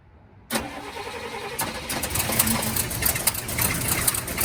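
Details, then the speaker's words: 1971 Cadillac Coupe DeVille that sat 15 years in a backyard, first start on starter fluid with fresh 91-octane fuel added (white sediment in tank): catches with a crack, then a stumbling, near-dying rough idle; owner suspects it's not getting fuel. "oh so so as you guys saw the car pretty much started and wanted to idle it feels like it's not getting fuel"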